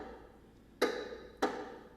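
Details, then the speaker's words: Bicycle with a loose square-taper bottom bracket: sharp hollow knocks about every two-thirds of a second as the crank turns; fix is snugging the bottom bracket with a bottom bracket tool. "um this bike here has a loose bottom bracket which are the bearings inside the crank that connect the two and that rotate on those and uh since those are loose it's making some knocking noises"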